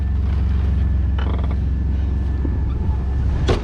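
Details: A 2000 Chevy Blazer idles just after a rebuilt alternator was fitted, with the voltmeter reading a little over 14 V on a low battery. A low, steady drone with an even rhythm and no knocking or squealing; a healthy idle.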